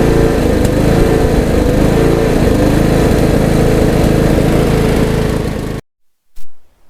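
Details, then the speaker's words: Troy-Bilt Bronco riding mower, long-stored, after carburettor replacement and new battery: steady, even engine drone with a constant beat and no misses or knocks; runs smoothly after the repair. "right so there you have it the long was running"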